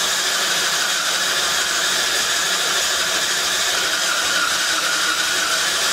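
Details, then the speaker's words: Yamaha Badger YFM80 ATV with new aftermarket carburetor, which is leaking: steady starter whirr with no firing at all, starter getting hot; spark confirmed earlier, owner suspects weak compression, possibly tight valves; cranks, won't start. "she ain't hitting no nothing starter is kind of hot i don't know why the carburetor is leaking [Music] sounds like it's weak on compression to me"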